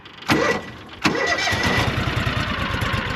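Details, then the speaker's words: John Deere Gator 6X4 sitting since 2014, after cleanup, hood damaged and fenders missing: short crank, brief catch, fires on the second try and settles into an even, quick idle; starts right up, good engine. "so starts right up this thing is freaking a good engine"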